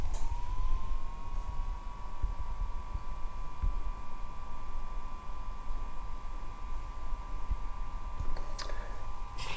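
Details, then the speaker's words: IKEA VINDRIKTNING PM2.5 air quality sensor: faint steady high-pitched whir of its small internal fan kicking in as measuring starts, light pulsing brighter; not completely silent but normal fan noise. "so it's not completely silent but again just a small fan sound"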